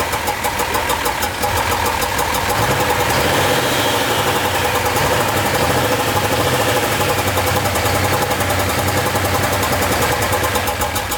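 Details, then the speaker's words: 2005 common-rail Cummins diesel swapped into a 2008 Ford F-350 dually, after fixing earlier rough running: fires and settles into an even, steady idle clatter with a regular beat, no stumble, miss or smoke. "yeah it sounds good now listen to that no smoke oh it's weird to hear Cummings in this thing right"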